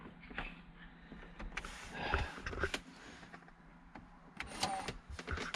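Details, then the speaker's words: 2003 Volvo XC90 six-disc CD changer head unit showing DECK ERROR, after a battery disconnect and reconnect: faint whirring and clicking as the mechanism cycles and stalls without loading a disc; CD changer mechanism fault, owner plans replacement. "so just done it again see what happens same again you can hear you can hear something going on inside the player"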